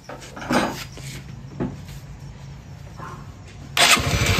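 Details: Honda Shine motorcycle that, when cold, died and wouldn't pull on acceleration. After carburetor screws were fitted and a Euro 2 exhaust pipe installed, it starts and settles into a low, steady idle with no knocking. Problem solved.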